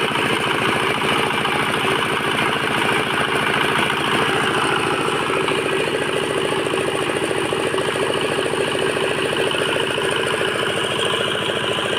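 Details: Bharat Agra R175A single-cylinder diesel after a full rebuild following a sudden stop with the flywheel jammed: steady, even chugging at constant speed with no knocks or misses; running healthy.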